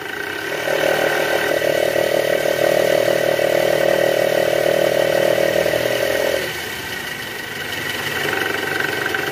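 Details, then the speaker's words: Toyota Alphard engine revved: rough snoring growl from the worn belt tensioner, which vibrates; replaced with a new tensioner, after which the vibration stops. "guys kita mau ganti nih Tensioner yang lama yang ini kita mau ganti pakai Tensioner baru karena Tensioner lama Ini udah bunyi ngorok"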